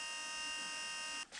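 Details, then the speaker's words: Audi 80 EV conversion (Nissan Leaf inverter): a steady, high, forklift-like buzzing whine from the power steering pump runs for over a second then cuts off. The owner hopes to replace it with electric column or rack assistance. "which would be brilliant because that would remove the last thing when you're driving this thing is always the Drone coming from that [Music] thing I'm not driving a forklift but that's what it sounds like"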